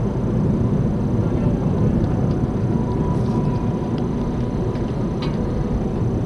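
Constant low droning hum rolls under the road noise at steady speed, the classic growl of a worn front wheel bearing.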